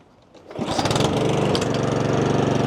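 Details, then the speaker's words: Honda lawn mower that suddenly stopped starting after a new spark plug from the tune-up kit (air filter, plug, oil) is fitted; the spark plug was suspected. Quiet pulls, then it catches and settles into a steady, even chatter. Normal start and run. "yes success we totally uh we totally just saved ourselves a bunch of money from having to take it to the shop"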